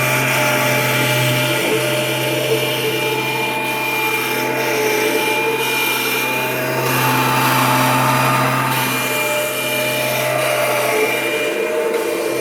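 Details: Kirby Generation 4 80th Anniversary upright vacuum from July 1994, rescued from the garbage: loud steady motor roar with a low hum and faint uneven flutter throughout; it runs but not quite smoothly, likely worn or damaged.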